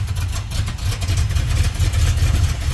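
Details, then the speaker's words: 1971 Chevrolet Monte Carlo, one-owner barn find that had not run in about 30 years, before new plugs and wires: low, loping idle that surges and sags unevenly; rough idle, owner suspects weak spark and carburetor adjustment. "think she'll run a lot better with those new plugs in there put some new wires on that kind of stuff just clean up that spark a little bit"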